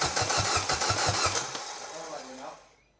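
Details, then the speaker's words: Mini Cooper S with a £100 used replacement engine just fitted (the original had zero compression in cylinder 1), first crank: strong, even starter churn near three beats a second that winds down without firing; healthy cranking. "That cranks over really well. I'm very impressed."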